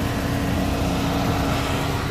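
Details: VW Fox that creaked when the steering was turned, after the fault in the ball joint (pivô) causing the creak was fixed: only a steady engine hum while the wheel turns, no creak or knock. Steering now quiet.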